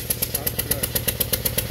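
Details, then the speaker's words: 2017 Subaru Outback, 70,000 miles, at idle: stumbling idle with a steady beat of about eight sharp ticks a second; first suspected blown-out spark plug, found broken ignition coil causing misfire. "Oh, yeah. There's the coil. The coil's broken."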